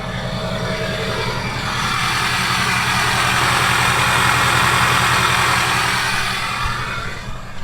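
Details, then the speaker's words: 6.0 Powerstroke diesel, cold start before flashing an SCT BX tune (owner believes it was already tuned): steady, even clatter at constant speed with no misses or knocks, a normal, docile cold idle. "So let's see how it sounds now. It doesn't matter. Let's go. Listen in. Pretty docile."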